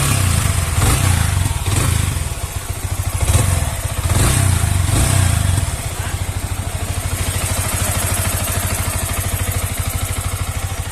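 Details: Yamaha R15 V3 after rocker arm repair for engine noise: steady, even single-cylinder putter at idle with a few heavier thumps early on, then a smooth, regular beat. Normal idle.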